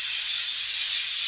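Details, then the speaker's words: Bench air test at 70 psi of the unpowered torque converter clutch solenoid from a 1996 Jeep Cherokee 4.0 petrol A340 (AW4) automatic; steady even hiss of air flowing straight through, the normally open solenoid passing air as it should. "Alright, now we're putting 70 psi pressure through there now, and that one's normally open."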